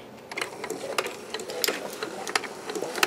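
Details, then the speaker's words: Keurig 2.0 on a 4 oz test brew with covers off, after the brittle high-pressure relief valve broke and caused a bottom leak: light irregular rattling clicks and trickling as the piston pump pushes water; brewing normally. "before it was leaking i can already hear it coming out of the cup"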